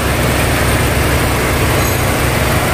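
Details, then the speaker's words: Nissan X-Trail T30 after replacing the alternator pulley and 6203 alternator bearing to cure a tek-tek ticking noise: steady, even idle with low constant rumble and no ticking or rattling; normal idle. "oke Oke Guys sudah selesai halus halus"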